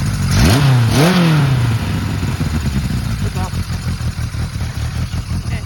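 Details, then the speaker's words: 1980 Kawasaki KZ1000G (Z1 Classic) motorcycle during restoration: revs briefly, then idle drops low, loping and uneven with faltering beats, idling poorly and dying; cause undetermined after fixing a lean air leak that caused high revving. "not now it's doing that thing it was doing that i was trying to describe like it idles crappy and dies"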